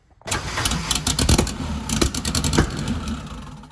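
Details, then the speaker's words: Freshly built turbo Volvo wagon drift car on MegaSquirt, timing close: catches, runs ragged with loud popping and backfires, flames from exhaust and intake; miswired engine harness gives wrong firing order, fixed by crossing plug wires. "I don't know that the firing order is correct. I do have the timing pretty close, and it's blowing flames out the exhaust and out the intake. So turns out the engine harness is built wrong."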